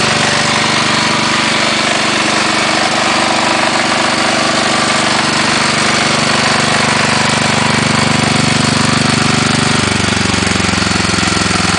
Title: CASE 444 PISTON SLAP